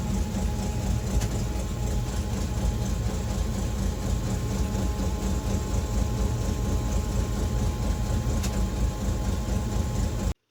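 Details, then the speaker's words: REO M-35 military truck idling with a deep, uneven stumbling beat, a misfire from a blown head gasket; once warmed up it would lose its idle and need throttle blips to keep running. "But you can clearly still hear the misfire."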